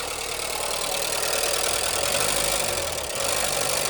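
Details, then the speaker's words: 1989 VW Fox abandoned for years, just revived and idling on its own after blowing debris from a possibly clogged exhaust: fast, light ticking over a thin, rattly idle and reluctant revs. The owner suspects the injectors or a noisy valve train; oil level is low. "Hopefully that noise is um these fuel mechanical injectors or something or it's just a loud valve train. I hope. But it is awfully noisy like ticky."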